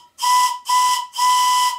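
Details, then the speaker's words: Model steam whistle made by CME Engineering, blown on compressed air: three loud, clear blasts on one steady high note with airy hiss, loud enough to distort the microphone. A normal, healthy whistle. "they really are loud the sound is distorting the camera's microphone"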